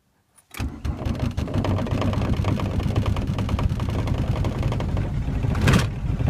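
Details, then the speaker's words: 1991 VW Jetta turbo diesel, cold, with brand new glow plugs, battery and starter, owner unsure of cause: slow, uneven cranking with lumpy firing that won't settle into running; hard cold start, extended cranking. "these are brand new glow plugs by the way new battery new starter new glow plugs so I don't know what the issue is"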